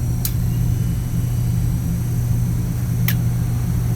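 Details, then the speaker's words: Glycol chiller unit with the pump running: the compressor is stalled, giving a steady low electrical hum with an occasional sharp click; the start capacitor and supply voltage are suspected. "Compressor is making the click of death. So the compressor is not starting."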